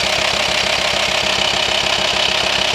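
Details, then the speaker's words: VW T5 Transporter 2.5 TDI at idle: a fast, even ticking knock pulses over the diesel clatter with engine speed, and vibration is felt at the hose to the airbox. Worn camshaft and lifters, some hollowed through; the fix is a new camshaft and lifters. "r Volkswagen T5 2.5 TDI you hear it Knocking the way you feel it you feel it mostly you feel the vibration from the hose to the air box and when you disconnect the hose it's obvious it sucks in there so unfortunately we have just diagnosed A Worn chem shift and tap it so it's kind of a big job if you have this problem"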